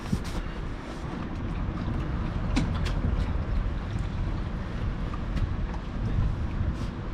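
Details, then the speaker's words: Honda 2.3 hp outboard on an AX2 tender: steady low, even drone under heavy wind buffeting, no misses or knocks; the motor runs fine. "mon moteur il marche mon annexe coule pas c'est déjà pas mal"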